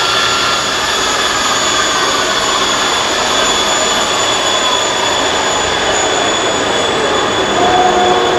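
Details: Monarch Merit lathe after converting its non-working DC drive to an AC drive; power feeds engaged, cross slide and longitudinal feeds both working. Steady, even mechanical whir with a constant high gear whine, no knocks or grinding; power feeds run smoothly.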